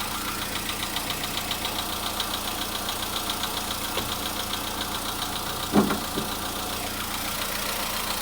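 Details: Volkswagen Polo Sedan cold-start engine knock: light steady tapping two to three per second over a cold idle, coming and going, still faintly heard around 4:40 minutes at 55 degrees; source unclear.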